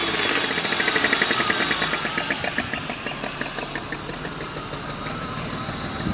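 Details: BMW E34 520i engine running with a sharp, regular knock at about 220 per minute; an internal knock whose cause is unknown to the owner.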